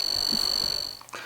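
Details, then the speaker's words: Model-locator beeper of an ImmersionRC RapidFIRE goggle receiver module (in FatShark Dominator 3 goggles): fast, even, high-pitched ticking about thirty per second, rising as the model gets closer with RSSI, then stopping; working normally. "so what this does is is look at the upper and lower irises eyes it makes a little ticking noise that increases as you get closer and you can see the RSSI scales"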